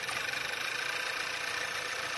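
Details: Skoda Octavia 1.8 TSI 150 hp after repair of rough running (codes P0299, P0507, P2279, P0171), heard at exhaust and in engine bay: steady smooth idle with fine even pulse, no hunting or stumbling.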